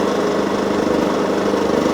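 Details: Wolf generator, bought used with carburettor previously cleaned, running after an oil change and mini service, green light on: steady, even drone with no misses, knocks or surging; engine running smoothly and healthy.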